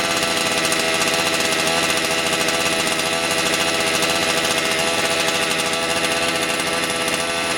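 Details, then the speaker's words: Motor Sich 270 chainsaw with new ignition coil, still cold (cylinder about 40-50°C): steady buzzy rattle at a low, even idle with no stumbling or surging; idling cleanly. "друзі пила холодна холостий дід скинув вже починає грітися пекти мене потрохи але ще не пити градусів 40-50 циліндр"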